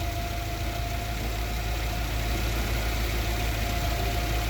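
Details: Yale GLC050 forklift, Mazda F2 throttle-body injected engine, with lean-at-idle code 522: smooth steady low idle without stumbling or hunting; normal idle.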